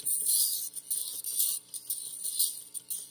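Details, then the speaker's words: Vintage RCA Victor 45-EY-2 45 RPM record player after all capacitors replaced: hum at full volume, only faint scratchy needle sound with no music from the speaker; cartridge suspected, new cartridge later fixed it. "but it's not coming through the speaker now here i turn the volume all the way down you can hear it coming from the needle just sound that the needle's making"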